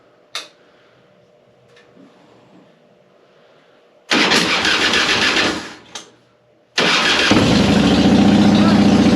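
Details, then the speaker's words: 2005 Harley-Davidson Softail Deluxe with hard starting and slow cranking, after wire-brushing both battery cable contacts, choke pulled: starter cranks briefly, V-twin catches, second start settles into a steady loping idle. Normal start and idle; not a starter fault. "glad it wasn't a starter issue it looks like it was just a issue uh on the contacts with the battery"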